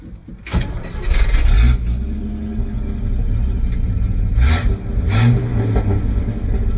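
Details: 1965 Chevy C10 with the original 250ci inline six with a cam, recent tune-up, rebuilt carb and new fuel pump. It cranks briefly and catches, then settles into a deep, lopey idle with a couple of throttle blips. Normal start and idle.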